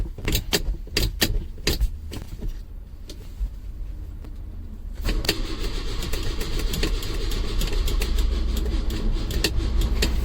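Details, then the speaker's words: 1968 Lancia Fulvia, off the road for a long time after much work, on its first start attempt with a jump pack. It clicks and rattles, then cranks with a steady churning but never fires in this attempt; on a later try it started with a very high idle. "not looking good right I've enlisted the help of a jump pack let's give it another go"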